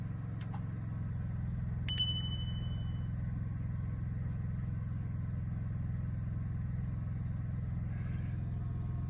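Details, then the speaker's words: 2023 Coachmen Nova's Cummins Onan generator after the recall fuel-line hose fix for vapor-lock stalling, running the air conditioning on low. A steady, even low hum with a smooth unbroken beat and no knocks or surging; normal running under load. "turn it on a low so I can hear and so far the inner the motor generator is operating still running"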